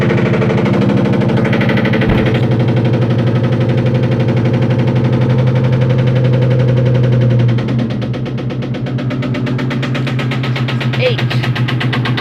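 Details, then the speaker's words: 2001 Ford Mustang GT V8: catches and idles roughly with a deep, steady knock pulsing through the exhaust note; owner calls it rod knock, not confirmed. "That's what you call rod knock, boy. Rod knock right there."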